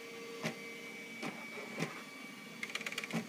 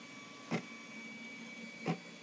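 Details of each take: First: Bernina Artista 730 embroidery module in service-program test: motor hum with jerks and stuttering ticks as hoop skips back and forth and reverses mid-travel; X and Y movements hang up, internal optical sensors suspected, cause unconfirmed. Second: Bernina artista 730 embroidery module in the service-program test, large hoop detected, needle and presser foot up, feed dogs dropped: a quiet hum with two brief whirring moves as the carriage travels cleanly along X and passes, though electronic faults are suspected.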